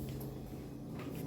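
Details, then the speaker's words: Samsung digital inverter fridge (freezer cooling, lower compartment not cooling) after thermostat connection fixed: quiet, steady low compressor hum with no clicking, rattling or cycling; compressor running normally. "Yeah, compressor is working. Yes, compressor is working properly."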